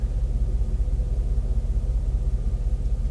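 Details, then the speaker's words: Engine at idle with a low rumble dipping in a steady pulse about 2.5 times a second, camera shaking; slight miss suspected, possibly spark plug, plug wires or coil pack; rough idle. "idol is like the needle stays pretty steady for the idle but it doesn't sound quite like it's 100 percent sounds like there's a slight miss"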